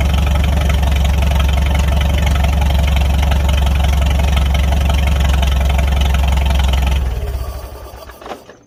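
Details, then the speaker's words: Farmall 300 Row Crop tractor with the new exhaust manifold replacing the rust-holed original and the clutch adjusted, run with throttle: steady, even thrum with no misses or knocks, then it winds down and stops. Sounds good; normal running. "Like it. She sounds good."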